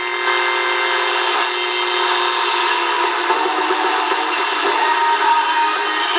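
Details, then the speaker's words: Steady buzzy hiss with a fixed high whine over the audio of a DIY kit radio running on a new power supply at 9 volts, unchanged by tuning; it is interference from the power supply, and the draw does not register on the milliamps range. "that's the noise i'm talking about right there so that's obviously from the power supply it's not even registering on the milliamps so"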